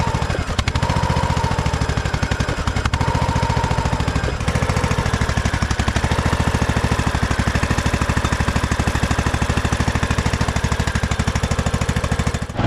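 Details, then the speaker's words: 2008 Husqvarna LTH1538 lawn tractor, jump-started with a battery jump starter: steady single-cylinder thump, then abruptly cuts out. It sounded like it ran out of gas, and a seat or brake safety switch was also suspected; it had run out of gas, with the remaining fuel below the pickup. "kind of sound like it ran out of gas um seems like the either the seat safety or brake safety is messed up"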